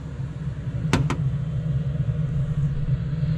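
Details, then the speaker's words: Truck heater with a replaced blower motor: a steady low whir of blower and burner with a couple of faint clicks. The burner that had not worked is now lit and blowing hot air, and it sounds healthier than before. "And it's blowing hot air. And it's sounding a lot healthier than before."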